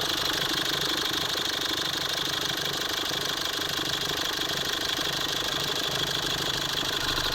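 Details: 2018 Foton Toplander diesel after an oil-soaked fuel injector was reinstalled: steady, even clatter at idle with no misses; suspected blow-by turned out to be a failed injector washer, and the engine no longer smokes.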